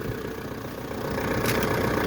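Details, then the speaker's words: Pajero/Montero VRX diesel started on a jumper pack after glow plugs: steady diesel clatter settling into an even idle with no misses or odd knocks; healthy idle right after starting. "let's see if it starts glow plugs started sounds good to me"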